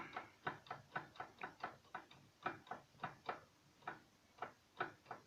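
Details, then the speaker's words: VAZ (Lada) rear axle after partial reassembly, driveline rocked: sharp metallic clunks in uneven bursts of about three per second; play in the rear differential planetary gears suspected, pinion nut may need tightening. "Все равно идет удар. Слышно, да? Это в заднем мосту планетарка. То есть люфт."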